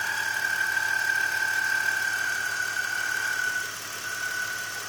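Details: BMW E46 at idle: steady high-pitched whistle for several seconds, then fading; bad accessory pulley, later replaced and the car sounded good again.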